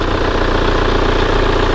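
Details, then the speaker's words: Kia Carnival diesel at idle: steady, crisp, even clatter with no misses or knocks, meaning injection pressure is balanced and every cylinder fires evenly; healthy, stable idle. "suara mesinnya harus seperti ini ya Nah seperti ini jadi suaranya itu Hai stabil renyah satunya kalau stabil itu tekanan Nose itu imbangnya David Sular yang keluar menghasilkan ledakan itu setiap silinder itu rata biarkan mesin sampai panas"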